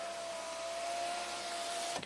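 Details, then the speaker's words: 2007 BMW 328Ci hardtop convertible, after tweaking the rear module bracket so the top module reads closed: front window auto up/down, clean steady motor hum about two seconds ending in a firm stop thunk; windows working normally again. "The front windows are working from the buttons. Holy crap! Auto down works. Auto up works."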